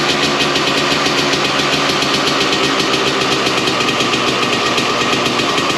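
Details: 1993 Honda CR250 two-stroke after crank seal and muffler repack, cold start: crisp, even fast idle, no rattles or knocks, much quieter than before; normal idle.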